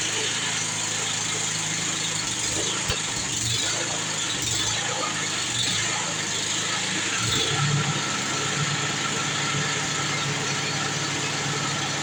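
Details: Snow blower test run after an auger belt replacement: a steady small single-cylinder chug with an even beat and no knocks or misses. The engine is running healthy.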